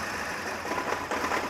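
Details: VW Polo 1.6 petrol, just started and idling: ragged, stumbling idle with irregular dips while smoking, scan tool showing no fault codes; misfire and pickup problem, cause not yet found.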